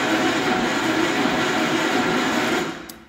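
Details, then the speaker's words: Gravely 814 tractor after sitting outside for years: sluggish labored cranking that never catches; battery believed good, dropping to 11.3 V while cranking; owner suspects the starter may be unhappy, not confirmed. "well she cranks I know this battery is not dead or I'm pretty confident this battery's not dead but uh man it's that slow"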